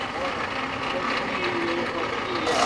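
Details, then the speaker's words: Land Rover 3.0T diesel at startup: thin high whine over diesel clatter; faulty alternator, fixed by replacing with original alternator, noise gone afterward. "路虎柴油3.0T发动机最让人害怕的声音出现了，来听一下。"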